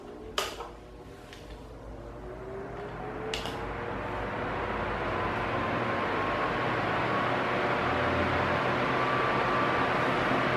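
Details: Arno Silence Force 40cm table fan, nearly two years old, on medium speed: it clicks on, spins up with a rising whir, then settles into a steady, even hum, which is normal running.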